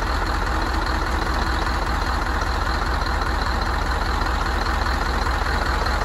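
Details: Rebuilt Scania DC16 PDE 16-litre 500 hp V8 diesel from an R500 truck, 1.6 million km, idling after reassembly and first start. Deep, steady idle, even beat around 150 per minute, no knocks or misses: normal.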